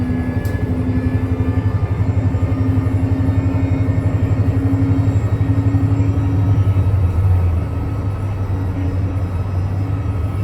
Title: STM 37-021 strange noise on the 171